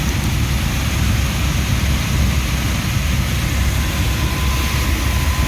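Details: ERV near Trane water source heat pumps shaking the office below: heavy constant low drone and rumble, no distinct knock; slight bearing issues, misaligned loose belts and debris in the blower wheel; excessive vibration.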